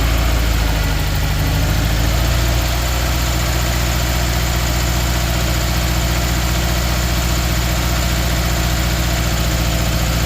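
Uneven idle with a loping, stumbling beat low in the engine note; one cylinder is misfiring, cause not pinned down.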